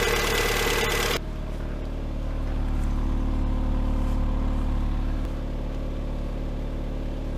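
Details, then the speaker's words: Lada Granta 126 engine, first start after full overhaul (bored block, new bearings, 82.5 pistons, new valves): steady idle with fast light ticking in step with engine speed, cold and hot; a hydraulic lifter sitting high. "мотор ровно работает. Вот такой вот стук на холодную и на горячую. Сейчас будем разбирать. Непонятно откуда."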